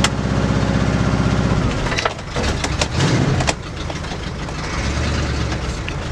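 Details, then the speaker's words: 1965 Ford Galaxie with resurfaced breaker points, owner suspects a carburettor mixture problem or vacuum leak: fires up and settles into a fast, steady idle that sounds too fast; high idle. "you know what honestly I kind of feel like that a little too fast so if I can't get it down the road as it is I'm gonna stop and defer to some professionals"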